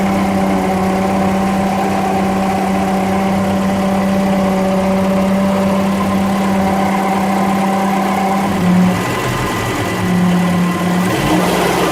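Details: Engine at idle: a steady idle with a constant low whine riding on top the whole time, unchanging. Water pump noise.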